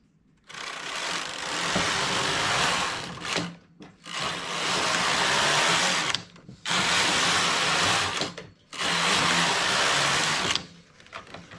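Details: Domestic knitting machine knitting with a single 2/28–2/30 acrylic or wool thread at tension 0, lever in the tightest position, with a harsh scraping rasp on each slow carriage pass; over-tight tension strains the needles, which can break.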